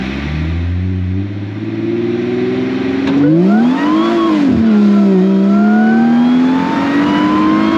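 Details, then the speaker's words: Supercharged Mercedes SLK320 on a test drive after fitting a new coil wire and plugs, which cured a previous misfire. Engine note climbs cleanly and settles into a smooth cruise with no stumble; normal acceleration, fixed. "the car feels pretty good it's definitely fixed"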